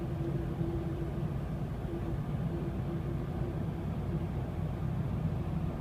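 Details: 2006 Dodge Dakota 4x4 quad cab, 4.7 L V8, automatic, under light acceleration around 40 mph: faint steady howl over road rumble, absent when coasting; drivetrain howl, cause unknown.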